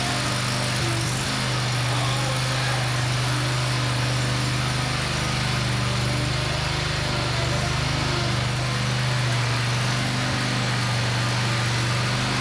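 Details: Country Clipper Boss SR1200 zero-turn mower, bought broken, engine problems and smoky: loud steady small-engine drone with slightly uneven beat under load; rough running, cause not confirmed.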